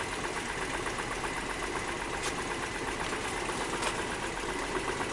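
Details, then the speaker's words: 2002 Nissan Maxima with misfire codes, injector number two disabled at idle: idle runs rough and uneven, stumbling and lurching; every cylinder cut makes the engine stumble more, misfire with injector disabled. "here's number two hey yeah it's still all right so they all they all make the engine stumble a lot more"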